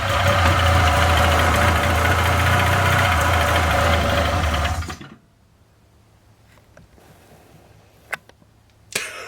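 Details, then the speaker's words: 1997 Polaris Indy Classic barn-find snowmobile, first electric-start attempt: catches on the first crank, buzzes steadily about five seconds, then dies; owner thinks it ran on whatever was in the cylinders and suspects filthy carbs. "yeah I'm sure it's going to take more than that but it did fire probably whatever was in the cylinders"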